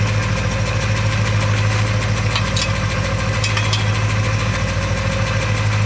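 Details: Porsche 928 V8 idle after fuel pump relay placed in the correct slot, air breather hoses removed: steady, even low rumble with no knocks, misses or ticks; very smooth, healthy idle.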